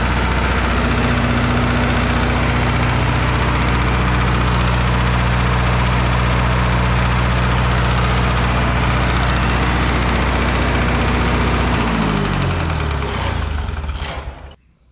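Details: Red-D-Arc diesel welding machine at idle: even light knock with every firing before shutting down and coasting to a stop; possibly injector knock, source unconfirmed.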